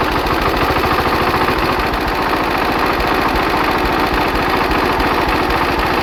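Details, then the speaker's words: Hatz diesel single converted to spark ignition on woodgas from a gasifier, warmed up, ignition advance retarded about 10°: even steady thumping with no misses or stumbles, sounding much better. Normal running. "I think the ignition Advance is too too much let me uh ache that a bit and we're back it's about 10° earlier now now I'm very oh that sounds a lot better"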